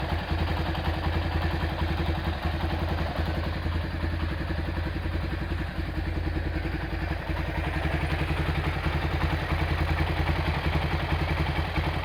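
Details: Honda Tiger Revo single-cylinder engine at hot idle: fast, light steady ticking from the head over the idle beat, smooth when cold but noisy when hot; valve train ticking from worn valve stems and loose rocker adjustment; some oil seepage, engine due for rebuild.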